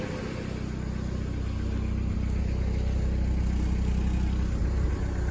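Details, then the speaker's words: Dodge Neon running after new alternator belt fitted and tightened (previous loose belt jumped, shredded and caused loud ticking): smooth even engine note with slight rev rise, no ticking or popping; belt drive healthy, fixed. "Nice and quiet. Absolutely awesome. Happy to have my daily back."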